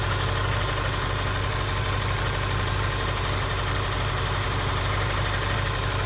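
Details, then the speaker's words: Honda Prelude misfiring before spark plug replacement: steady low idle with an uneven, lumpy beat, engine shaking more than usual and exhaust popping; plugs and wires of unknown age are suspected. "shaking more than i used to i think it's it's firing or something if the way the uh the fumes come out of the exhaust it's like popping it's sort of like a brapping kind of engine right now"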